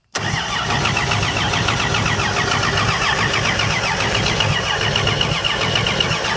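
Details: 239 3.9-liter V6, first start attempt on a homemade carb adapter (which failed), valve cover just refitted, oil pressure gauge attached and showing good pressure: starter cranks with an even churning rhythm but engine never fires; crank no start.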